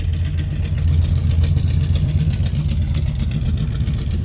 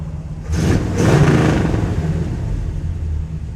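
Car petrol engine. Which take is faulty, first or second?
first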